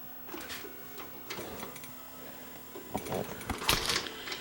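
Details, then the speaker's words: Panasonic PV-V45 VCR found at a roadside spring cleanup with a tape still inside: pressing play gives a few uneven clunks and clicks with no steady drum spin, then the unit shuts down; tape probably jammed. "Play. Nothing happens. It just clunks and says play on the screen, but nothing shows up. And then it'll shut down."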